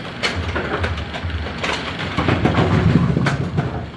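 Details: A2 bowling pinsetter on lane two, powered back on after repositioning components, cycling through to 180°: low steady rumble with irregular clacks and thumps as it cycles and settles. Normal cycle.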